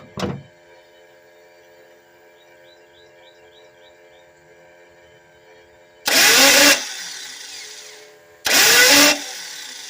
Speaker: that's the sound of a starter that's uh shot um that is actually